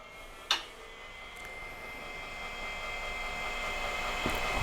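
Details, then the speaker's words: AT&T 3B2/310 Unix computer from about 1984, hard drive just reattached, at power-on test: a click, then a steady high whine swelling as the platters come up to speed; normal hard drive spin-up. "Here we go. Sounds like a hard drive spinning up."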